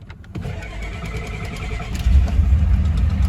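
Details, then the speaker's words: 1989 Ford F-250, cranked after the fuel pump was left on through dinner: strong, even cranking at about three beats per second, then the engine catches and builds. Starter and battery sound healthy and cranking is normal. "All right. Well, she's still got cranking power, so it's fine."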